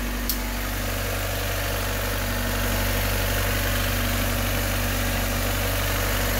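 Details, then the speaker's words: Honda Civic/CRX (B/D/H/F-series) first run after a budget coil-on-plug conversion replacing the distributor. Smooth, steady idle at about four pulses a second with no stumble or miss; all firing evenly, normal idle. "let's fire it up and see if it works oh yeah it's all working"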